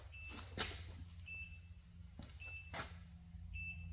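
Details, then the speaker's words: Polaris Xplorer 400 4x4 ATV, non-running, jump pack left connected: short high-pitched beeps about once a second over quiet background; jump starter warning it was left connected and on. "Oh, it's this. Yeah, saying, hey, you fucking left me connected."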